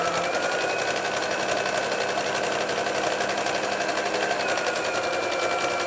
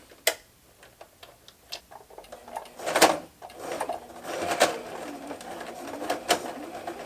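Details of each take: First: Domestic modern Brother sewing machine after rethreading and correcting low top tension: steady even stitching hum with needle ticks about four per second, no catching or knocking; sewing normally, problem was user error. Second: Sewing machine with the top thread misthreaded with no tension, plus a very large needle. Rapid needle clatter with uneven knocks and scraping instead of a smooth purr; rough running caused by user misthreading.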